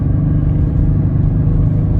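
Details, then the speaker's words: Buick Lucerne 3.8L GM at wide open throttle: deep drone with uneven, stumbling exhaust beat, misses only at full throttle and idles fine; caused by a bad coil pack drawing extra current and giving weak spark. "starts missing when I went right open throttle now let out the throttle and she idles and runs fine stick her down when they're up he starts missing"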